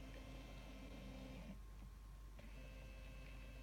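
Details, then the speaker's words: Amcrest ProHD IP2M-841B pan-tilt camera: quick, fairly loud whirring motor tone that runs, pauses briefly, then starts again; very fast but noisy motor, normal pan-tilt operation. "this does 30 frames per second so it's very smooth and the motor is actually very quick for a movie but it's also very noisy"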